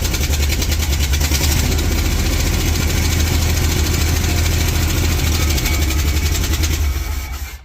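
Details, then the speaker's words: 1967-70 Dodge A108 van, 318 V8, three-on-the-tree manual, timing issues: engine running rough and low with rapid metallic clanking about three knocks a second; loose exhaust hanger on the other side banging, not the engine. "That banging, don't worry about the banging. It's actually just the hanger for the exhaust on the other side. It's loose and it's clanking around on there."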